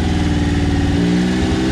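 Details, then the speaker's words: Tonka mini monster truck with small inline three-cylinder engine, carbureted, choked, after sitting five years: after suspected dead middle cylinder, steady even firing beat with no stumble; now running on all three cylinders. "there she is that's banging all three there yeah buddy"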